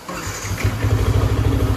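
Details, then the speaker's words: Yamaha R15 V3 after engine noise repair at a new workshop, following bad earlier work elsewhere: fires up and settles into a steady, even idle with clean regular beat, no knock or rattle; sound now OK. "तो sound सुन सकते हो ये है original sound इसकी तो अपने भाई लोगों ने इन्होंने किया काम देख सकते हो तो भाई अभी तो साउंड वगैरह भाई सब कुछ ओके है"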